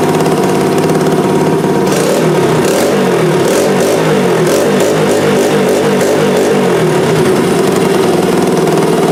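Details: Honda XR80R first start after rebuild work: small single steadily chugging at idle with an even beat and clean blips, no knocks or rattles; runs healthy.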